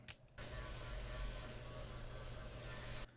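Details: AYN Thor handheld after teardown and tape mods on the cooling fan: a steady low hum with a droning buzz for about three seconds; the fan buzz remains, the fixes unsuccessful.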